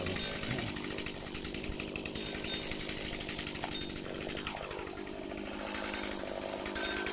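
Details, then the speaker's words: 15-year-old Stihl FS85 two-stroke strimmer on premix, started after seven months unused in a log shed: crisp buzzy steady note, picks up cleanly when blipped; normal running. "so that's it it works that still that's been there for about 15 years"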